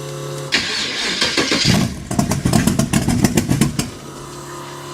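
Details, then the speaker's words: 1923 T-Bucket kit car, carbureted engine with no choke, cold shop at about 70°F, given a little gas: slow cranking breaks into a few sharp, ragged firing bursts that die within two seconds. "Get ready, guys, because she doesn't want to run. She's got no choke."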